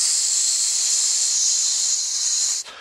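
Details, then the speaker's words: Propane RV water heater in a 2008 Adventurer Class C, heard through the access hatch during a shower: loud steady high hiss cutting off abruptly, first mistaken for a gas leak; breached tank leaking after about 40,000 hours of use. "so I I salute the sound down here underneath this access trap down into the hot water heater and oh somebody loves me they texted me and it's not the gas it's the water hot water take failure after about 40000 hours of"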